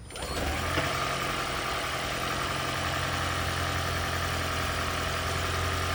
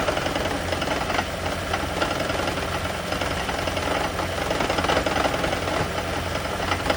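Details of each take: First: Lexus CT200h hybrid engine during EGR system diagnosis, valve set fully closed: catches and settles into a steady, even idle hum with no stumble or misfire; normal idle. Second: Lexus/Toyota hybrid, such as the CT200h or Prius, running; uneven metallic rattling and knocking, a loose clattery beat, an engine rattle attributed to the EGR system.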